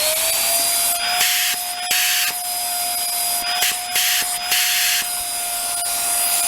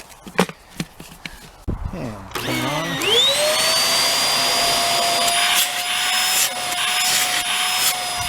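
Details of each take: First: Hoover Air Steerable Wind Tunnel vacuum with no suction, running outdoors around +10 degrees: steady high whistle over the motor's hiss, pitch constant; a debris plug found in the hose was starving suction. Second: Hoover Air Steerable WindTunnel vacuum after disassembly and cleaning of a clog: a few clicks, then the motor spins up to a steady, even high whine with no grinding, and the brush bar turns freely.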